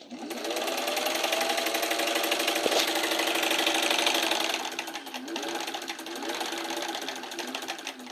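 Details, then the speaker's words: Singer 1591 sewing machine after replacing the potted motor, pedal also repaired: quick even clatter about three stitches a second, brief dip then recovers, no hum; motor runs smooth and healthy. "It works. There it is. It works. And it sounds good."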